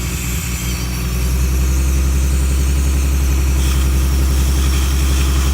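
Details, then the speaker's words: Mustang engine at idle with the brake booster vacuum hose off and Seafoam poured slowly into the intake manifold: sucking hiss at the open hose, idle note roughens and shifts as cleaner is drawn in; normal, avoid hydro-lock. "Now you can hear it sound a little different here, but don't worry about that. Just don't pour it in too fast. You don't wanna hydro-lock the engine or anything."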